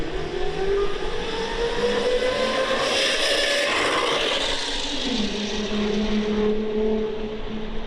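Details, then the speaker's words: CyberX e-bike with stock chain drive, heard in a flyby pass: a loud rasping chain whir that rises and falls with speed, loud enough that the rider thought something was wrong; the noise comes from the front sprocket. "But the biggest complaint was how loud it is with the chain drive on it. It's loud, dude. I mean, for an electric bike, that chain noise, I actually thought something was wrong with the bike right when I took it out the first time."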